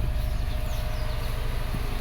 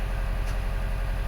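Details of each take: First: 2012 Subaru Forester SJ/SH, EJ255 turbo, idling with flashing check engine light after a blown oil hose; heard at the exhaust: lumpy puffs dropping a beat, a single-cylinder misfire. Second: 2012 Subaru Forester SJ/SH, EJ255 turbo, after fixing the coil connector pins: steady, even idle with smooth low hum and no stumbles; misfire gone, all cylinders firing cleanly.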